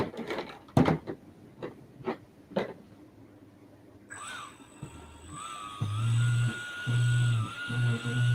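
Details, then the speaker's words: Ducted fan (EDF) buzzing as it spins up during spinner balancing, third position tried, with a wavering high whine and a pulsing low buzz. Rotor imbalance suspected and still noisy. Ducted fan buzz. "there we go so i've already started moving i'm over to the third one still making noise"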